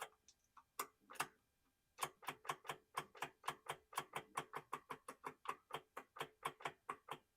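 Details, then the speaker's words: 2012 Ram Hemi truck, parked for months, no crank with good battery: sharp dry clicks about four per second with no motor spin while jumping the starter terminal; starter could be bad or not enough current; starter clicking, no crank. "starter could be bad or I'm just not getting enough home I wasn't getting the relay to click before so that's interesting"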